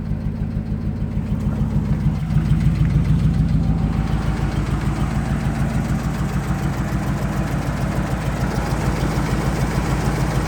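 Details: 2005 Ram Hemi V8 idling: steady low knock about three per second under the exhaust note; suspected rod knock.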